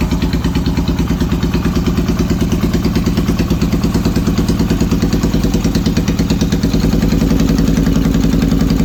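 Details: Yamaha XS650 twin running an old Hitachi TCI ignition: uneven, lumpy idle with skipped, stumbling pulses; misfiring, cause not confirmed.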